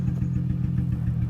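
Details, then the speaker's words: G35 at operating temperature with good fuel pressure, runs poorly and loud: idle thumps unevenly and shaky, keeps adjusting and dropping instead of holding steady; rough idle. "the idle is kind of inconsistent. Right now it's adjusting now, but yeah, you'll notice it's going to keep dropping and dropping."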